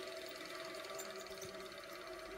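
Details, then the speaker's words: Washing machine motor on TDA1085c speed controller driving a grindstone with heavy flywheel: thin steady squeal over motor hum as speed is raised; belt slipping, possibly from loose tension. "so what's happening there is when i'm turning up the power that's squeaking noise is the motor over reaching or or over speeding compared to the belt so the belt is slipping that's what i should say"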